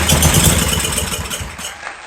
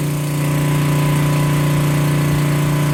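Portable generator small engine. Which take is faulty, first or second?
first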